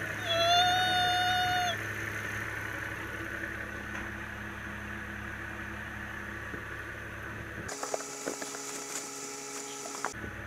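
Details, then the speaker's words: Volvo XC90 warming up at idle: high, steady whistle over a quiet engine from a failed crankcase ventilation oil trap (part 31319642), strong vacuum felt at the lifted dipstick. "we have to warm up it's a whistling noise right"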